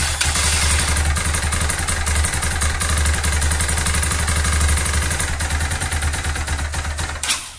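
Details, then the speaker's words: Loncin JL250GY Rover 250 single-cylinder motorcycle engine at idle before teardown: lumpy idle with a dry metallic tap on every beat before it cuts out. The mechanic first suspected a valve hitting or a stretched, jumped timing chain. "ahí se logra percibir un golpeteo esté seco mis primeras impresiones bueno puede ser una válvula"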